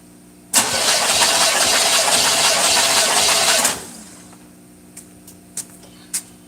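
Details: Truck "Blue Thunder" cranking during a compression test, with pre-ignition history and readings around 160: the starter cranks about three seconds at an even four beats a second and never fires.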